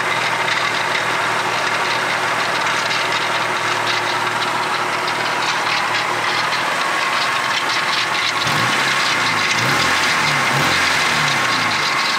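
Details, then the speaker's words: Honda Del Sol D-series engine idling: dry, uneven rattling whir over the steady run; worn water pump bearing, first suspected as the alternator bearing. "I just looked up a bunch of video clips on worn-out water pumps on cars and Honda's and specific and it does sound pretty pretty darn close to what I got"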